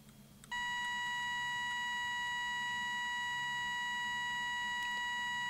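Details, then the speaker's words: Soviet 1969 "Signal" pocket radiometer with two Geiger counters, in Alarm mode; threshold regulator turned until the audible notification triggers at a dose rate set with a radioactive source; quiet start, then a steady high beep holds; alarm threshold tone. "Then, by turning the alarm threshold regulator, we achieve the activation of sound notification."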